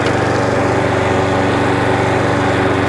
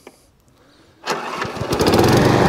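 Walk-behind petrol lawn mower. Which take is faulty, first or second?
first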